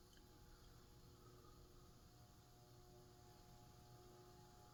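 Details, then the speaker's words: Emerson model 2042 plastic Designer Series 42-inch ceiling fan, which has no rubber flywheel, running: very faint steady low hum with no ticking or scraping; quiet at the low end of bedroom level, not quite silent. "Pretty low end of bedroom, I'd say. Yeah. Not quite silent"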